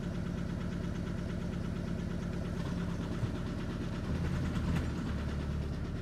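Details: Audi A3 after a cold start: a low, uneven idle that stumbles and lurches; a misfiring rough idle, owner suspects the fuel injectors.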